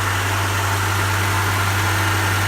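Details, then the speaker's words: Honda, reportedly DC2R, first start after immobiliser disabling and a new battery: a deep, steady idle with an even beat and no misses, knocks or hunting. It is idling smoothly, less rough than expected. "cause it's working and she doesn't senti bad I'm really surprised I expected it to be look look rougher than that"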